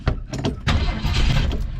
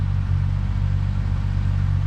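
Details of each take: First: Vehicle that sat over six months through winter, throttle pumped ten times: irregular cranking without catching. Owner suspects more gas is needed. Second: Ford Maverick with its 250 cubic inch six, original factory air conditioning, idling while warming up after standing in the yard: deep even rumble with a steady beat, no knocks, misses or ticks. Running good.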